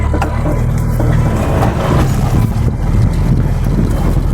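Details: Nissan C22 Vanette on a test drive in first gear: heavy low droning growl from the manual gearbox, present in first, second, third, fifth and reverse but quiet in fourth; disappears when the clutch is pressed; clutch pedal feels hard.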